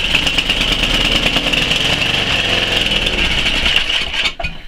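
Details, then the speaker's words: Tecumseh Snow King 11 hp on Murray Select snowblower, cold start near minus 10 °C: single-cylinder buzzing unevenly, speed bouncing back and forth off choke and off load; partly clogged carb idle jet. "this video is about this snow King having a uneven Idol it's um almost like it's bouncing back and forth"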